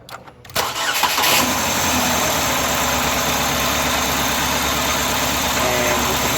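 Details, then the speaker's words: Stethoscope on a fuel injector while the engine cranks, catches and settles into a steady idle; a fast, even ticking is heard, showing the injector is firing and functioning properly. "And you can hear the injector ticking, which means that it is functioning properly."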